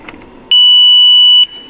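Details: 2018 Ford F-150 2.7 with codes P0035 and P0471, back-probing the gray wire at a known-good solenoid: one steady, high-pitched beep of about a second as the probe goes in; the wire has power.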